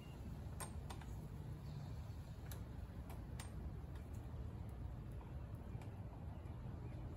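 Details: Running of an MTD 21-inch push mower with a 140cc engine, after repair following a couple of years sitting, on a 95-degree day. Low, even drone with no misfires or surging and a few light clicks: normal running.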